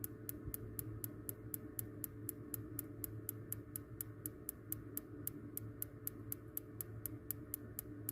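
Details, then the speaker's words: Columbia baseboard hot-water boiler with intermittent no-light: crisp regular igniter ticks about four a second over a low hum, the igniter arcing steadily as it should before light-off, after cleaning the igniter. "yeah see the arc if you're getting arc it needs gas should be lit any day now"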